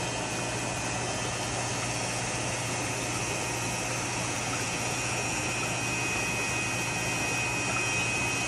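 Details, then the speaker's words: Harbor Freight vacuum pump after gasket change, draining a fish tank through PVC: constant low hum under steady airy hiss, sound changes as water is drawn, no knocking or grinding, running normally. "turn this bad boy on show you that it will take water out of the tank you can hear when the sound changes"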